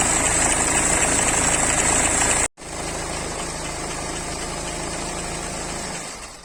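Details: BMW 3 Series cold start after sitting unstarted a long time during lockdown: engine settles into idle with a steady, regular ticking knock about four per second over the running note; unexpected engine knock on cold start.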